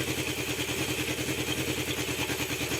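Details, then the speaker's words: Honda CB750 four-carburetor engine at idle during carb vacuum synchronization, points not yet replaced: choppy idle with uneven popping over a steady four-cylinder burble; owner expects new points to help; idle popping. "Now you hear that popping that's going on. Did not replace the points, but I've got a set coming."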